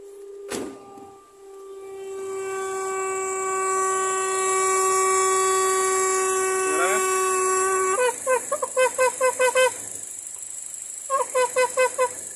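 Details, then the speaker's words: Nissan Evalia at idle, before the PCV hose is replaced: a steady trumpet-like moan near 400 Hz breaking into pulses, caused by the softened PCV hose collapsing under vacuum. The hose is a cheap part. "jadi buat kalian yang mobil evalanya ada bunyi seperti ini gak usah takut karena sparenya murah dan biasanya juga murah"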